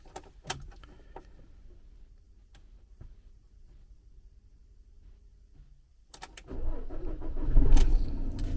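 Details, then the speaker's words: Peugeot Boxer diesel after oil and filter service and fuel system priming with new diesel filter: a few quiet clicks, then it cranks, catches promptly and settles into a steady idle; normal start. "there we go let let it run for a little bit just to make sure just in case there's any air in it"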